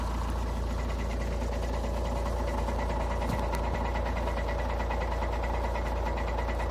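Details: Škoda Octavia A5 2.0 TDI 125 kW diesel, cold at idle: even repeating knock riding over the diesel clatter; knocks when cold, cause not yet pinned down.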